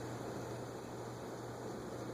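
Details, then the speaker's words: Moss HF-300 (Hunter Original copy) two-speed shaded-pole ceiling fan on a capacitor test rig, only partly oiled: steady low motor hum under a rough, gritty rushing noise, a dry bearing that needs oil. "what's that sound almost sounds like bearing noise but it's not that is bearing noise interesting I guess it needs some oil"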